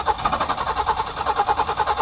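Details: Peugeot 505 V6 manual, unstarted for over two months since October 2023, hard-start problem: starter cranks steadily at about eight even pulses a second but the engine never catches; a crank no-start, cause not yet found.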